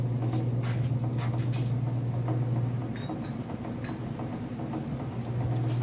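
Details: Freshly built 350 Chevy first start attempt, fuel fed from a bottle; low, labored, uneven starter churning without firing, battery too weak: slow cranking from weak battery.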